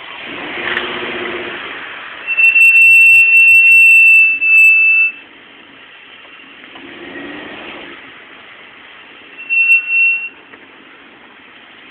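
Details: Jeep SRT-8 with Stillen slotted rotors and Hawk LTS pads: piercing high brake squeal returning in repeated bursts over rolling noise as the SUV slows. The typical squeal now won't go away.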